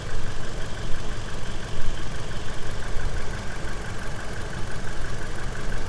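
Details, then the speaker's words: 2009 Toyota Innova with MAF manipulator, XCS, after installing Blackcore catalyst, tuning and additive, idle not revved (reading dropped 71 to 69): low even idle, light injector tick and faint valve patter, no knock or roughness; normal. "Kedengaran cuman injektor doang kan, Pak? Injektor sama sedikit klep. Ya. Suara mesinnya hilang."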